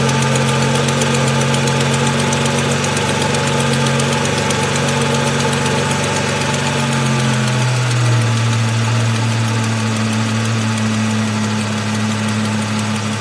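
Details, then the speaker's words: 2002 Ford Mustang convertible 3.8 V6, high mileage, cold start before oil change and engine flush: light quick tick over idle, idle easing down; owner suspects exhaust manifold leak rather than valves, tick goes away after about 30 seconds. "it's got a little tick on startup i don't think it's valve related but if it is valve related i'm hoping maybe a flush will help"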